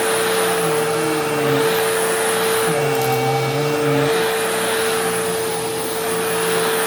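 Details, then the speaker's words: Newly acquired Sharp Twin Energy vacuum (no height adjustment) on carpet: an ear-piercing steady whistle holds its pitch over the roaring airflow. Owner suspects air pulled behind something causing interference; source unknown. "Yeah, there is unfortunately a very, very prominent squealing noise, and it's ear piercing. Like, it's really bad."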